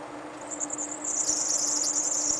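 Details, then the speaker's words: Mazda Miata A/C compressor with pressure switch jumped: thin, steady high-pitched squeal starts about a second in as the compressor engages, indicating a loose slipping belt; pressure switch not engaging, possibly bad or wrong for setup. "so what does that tell us that tells us two things number one my belt is loose number two the pressure switch is not engaging"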